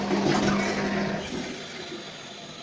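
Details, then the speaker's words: Big-flush test of a newly installed upstairs macerator toilet: a short, strong whoosh of water with pump hum, like two flushes in one, tapers off smoothly over a couple of seconds; a normal full flush. "yeah there we go it's like two big brushes or two flushes in one big flush"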